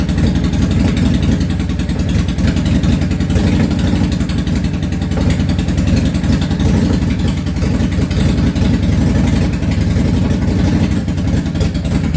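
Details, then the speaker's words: Yamaha V-Star 650 Classic, completely cold, choke off, after new fuel lines, fuel pump and carb work: lumpy idle with beats dropping out. The front cylinder fires on and off from poor front carb fuel transfer while the rear fires constantly; front plug to be checked. "the front carb is still having a little bit of an issue with gas transfer uh it is idling uh on both cylinders one of them is sporadic the rear one seems to be firing constant and the front one seems to be kind of on and off firing"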